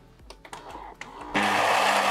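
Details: Saeco coffee machine being serviced for a clogged spout, after heating up: a few light clicks, then the grinder motor kicks in with a steady, even whir and no rattle or labouring; grinder works and sounds healthy.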